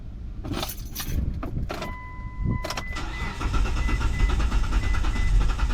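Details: Gen3 Mitsubishi Montero six-cylinder cranks at a steady, slow rhythm (183–189 RPM on a multimeter at the tach terminal) but never starts. The crank sensor signal is present, so the fault is not spark or crank-sensor related; fuel starvation is suspected.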